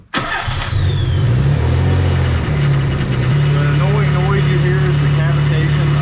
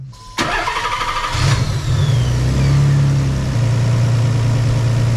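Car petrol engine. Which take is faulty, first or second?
first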